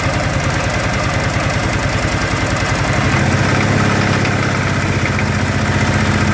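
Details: 2013 Kawasaki Teryx FI 4x4 LE side-by-side idling with a low, loose knock about four beats a second; owner unsure whether from engine or clutch.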